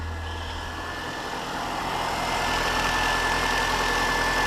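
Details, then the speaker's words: Mini One after PCV valve replacement, previously whistling: steady, even idle hum with no whistle or hiss, settling smoothly; engine sounds healthy. "okay so let's start the engine and see how she blows already that sounded more like it"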